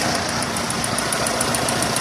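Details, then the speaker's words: Renault on LPG at idle before replacement: sharp light ticking about seven per second over steady idle, valve-like clatter from noisy but not faulty Atiker 3-ohm LPG injectors, to be replaced with 2-ohm units. "zalı değil Enjektörler ama biraz sessiz çalışıyor yani subap sesi gibi bir ses"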